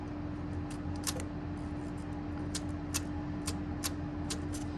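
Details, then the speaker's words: Ford 7.3/6.9 IDI diesel during fuel bleed, key on, solenoid connector unplugged: over a steady low hum, sharp light clicks, one crisp snap from the fuel shutoff solenoid; hard shutoff works. "Now, when you unplug that, you should hear a click. All right, so if you listen closely, you'll hear it."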